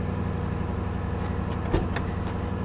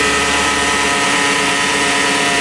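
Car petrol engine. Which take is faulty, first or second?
second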